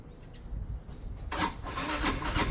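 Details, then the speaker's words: Motorcycle hard to start in the morning, battery at 12.18 V dropping to about 9.8 V when cranking: starter fast at first then slows and drags, engine barely catches; weak battery, replaced. "Hindi pabagal. Yan. So mabilis siya nguna t's mabagal ng dulo. Hindi naman hindi siya maganda pagka ganon."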